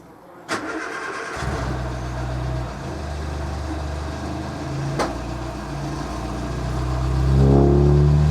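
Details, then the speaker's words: Morris Minor, warmed up, choke fully in: catches after a crank, then idles lumpy and too high, idle climbing; also running too rich. "Running a little bit lumpy, but also that idle is far too high, and it's only going to continue to get higher. I have fully put the choke in, it shouldn't be that high."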